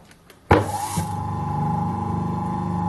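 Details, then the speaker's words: Rescued vintage McColl repulsion-start electric motor, temporarily wired up: spins up quickly, then settles into the steady, even induction-motor hum with a clean tone and no rubbing or knocking; normal running. "there will be glimmer come to life again yeah that's the sound of the induction motor"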